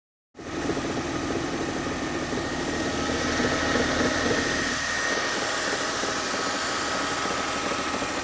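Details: Mercedes ML320 idling: steady idle with light, busy rattle of about four beats a second over engine hum; source unclear.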